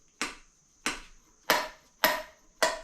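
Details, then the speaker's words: Big block engine stored 20 years, former daily driver, heads off: five taps on the valves, first two dull and short, last three ringing; dull ones have pounded-out seats and don't seal properly. "Big difference. That's because the seat is pounded out and it's not sealing properly."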